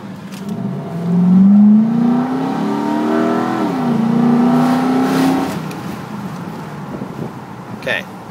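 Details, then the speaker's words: 2006 Nissan Titan crew cab 4x4, windows down on a 103-degree day, hard launch: smooth V8 note climbs steadily through the gears, no knocks, misses or whine; healthy, runs great. "that sound pretty healthy it runs great"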